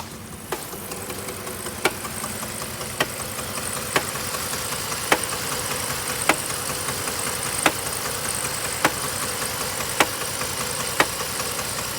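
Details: 3.7 liter V6 at idle: a sharp, distinct knock about once a second over a steady idle; cause undiagnosed.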